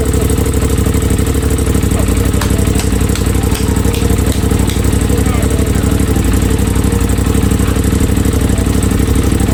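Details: Rebuilt crashed 2023 Aprilia RS660, first start after fitting fuel pump, no coolant yet: engine catches and settles into a steady, even idle at about four beats a second, no knocking or misfire; shut off quickly.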